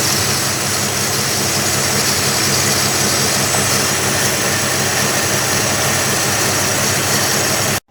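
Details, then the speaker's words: 1963 Plymouth Valiant with newly installed slant six, tachometer not connected, solenoid wires restored and remote starter disconnected: loud steady even idle, no misses, knocks or rhythm changes; running healthy. "yeah I put the shut the car off and she can hear me a little bit better and I put the wires back on that solenoid the way it's supposed to be disconnected the remote starter and seems to be running pretty good"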